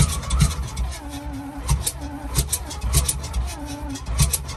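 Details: Alvis Stalwart not run for 30 years, on Easy Start: uneven thumps about once a second over cranking as the engine catches on starting fluid but won't settle into a run; no oil pressure shown afterwards (gauge possibly faulty).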